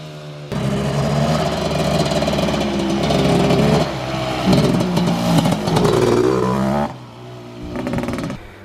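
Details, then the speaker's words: 1989 Suzuki LT250R two-stroke ATV, out of about a year's storage on a colder day: uneven, gurgling revs rising and falling with throttle. The rider says it gurgles a little weird and probably needs tuning. "Yeah, she gurgles a little bit weird. She probably needs to be tuned up a little bit better"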